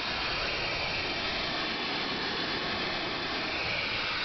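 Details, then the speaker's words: Chennic DC-to-DC converter in 1987 Dodge Daytona electric conversion, output near 13.5 V under load: constant airy hiss with no rhythm or pitch change; owner unsure if normal, cause unknown. "one thing you may notice is the sound look how it's hissing so I'm not sure if that's normal or not it really doesn't sound good"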